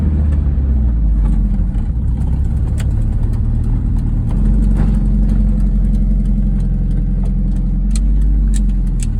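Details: 1998 MG MGF VVC petrol engine idling with light, uneven ticking and squealing over a steady rumble; oil topped up without change; exhaust manifold leak, tightening manifold bolts cured the squeal and reduced the ticking.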